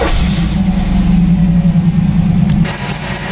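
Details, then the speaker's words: Third-gen Camaro IROC-Z with Vortec heads, first fire after installing a Progression Ignition distributor, timing to be checked at 10 degrees; V8 runs a fast steady idle, kinda high, to be dropped to lower RPM. "kinda high. Drop it down to a low RPM."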